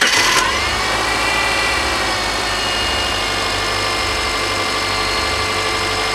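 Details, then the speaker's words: Rebuilt 2.5L EJ25 SOHC Subaru engine from a 2005 Outback, first start: steady, even idle with no knocks or misses over a light exhaust hiss; small exhaust leak suspected on one side, otherwise running smooth. "okay so far so good I mean I hear a small what sounds to me like an exhaust leak from from this side but as far as the engine go go it's it's running pretty smooth"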